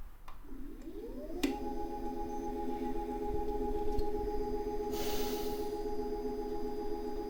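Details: Tacx Alpine trainer: sharp knock when changing direction, then a motor tone rising into a steady high-pitched ringing resonance, heard in Zwift; knocking and high-pitched resonance.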